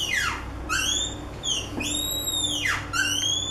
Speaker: Now, this video is about how to decrease the squeaky doors. I mean, the one which makes a noise like this one.